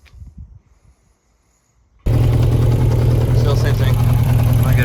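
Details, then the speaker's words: 1992 Yamaha XJ600 Seca II after carb work starts into a low, lumpy idle, seemingly on three cylinders. Cylinder two is not firing. It is sparking and its plug is caked, so a plug issue is suspected but not confirmed. "Sounds like it's sparking. So, it might just be a plug issue."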